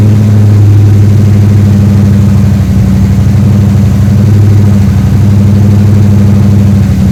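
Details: 3rd-gen Chevrolet Camaro Z28 carbureted V8 at idle after new spark plugs and plug wires fixed a dead-cylinder misfire: smooth, even idle with a steady low rumble, no misses or stumbles, all eight cylinders firing cleanly; now runs normally.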